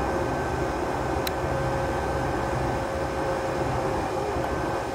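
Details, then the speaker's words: Herocut 45i plasma cutter after about 2 years of use: fan hum, then a sharp loud click, likely a relay, that comes late after the trigger is released; fault traced to failed diodes behind a heat sink, since repaired. "there's a loud click and then after a while after i let go of the trigger it'll it'll like uh have another clicking sound see what happens if i hold the trigger if i hold the trigger it looks like it doesn't let go"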